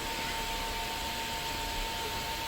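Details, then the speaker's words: Household water pump motor gives a faint, steady hum with a thin high tone and hiss, much quieter than normal. It was run on low voltage after a power cut, and the capacitor failed. "ये जैसे आप देख रहे हैं पानी वाली motor है, अभी आप इसकी आवाज़ सुने, आपको बहुत ही मध्यम आवाज़ सुनाई दे रही होगी।"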